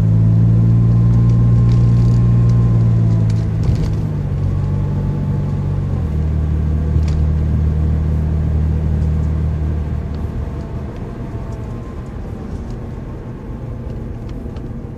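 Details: 2004 Mazda 6, 5-speed automatic, about 120k miles: steady whirring whine whose pitch follows engine rpm. It persists with all belts removed, so belts and their bearings are ruled out; transmission fluid pump possibly suspected.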